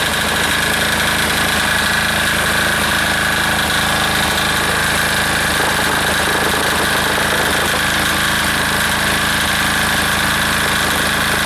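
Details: Air-cooled diesel engine just reassembled, warming up during a half-hour run with the gauge reading 228, steady even clatter at constant speed without misses or surging; owner says it is running pretty smooth, normal running.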